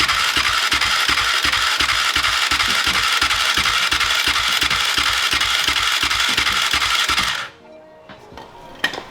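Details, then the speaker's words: Honda TRX450ER quad, first start since purchase after fixing an electrical circuit, new exhaust: even, crisp single-cylinder beat about three pulses per second for seven seconds, then shut off; normal running. "new exhaust smell I love it that sounded so good"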